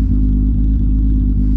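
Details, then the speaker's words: VR6: deep smooth steady rumble with no knocks or misses; normal idle. "oh this car sounds really good you just cannot go wrong with the vr6 you can it's impossible"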